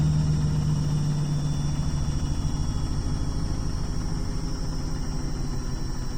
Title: beko wtk new rattling noises....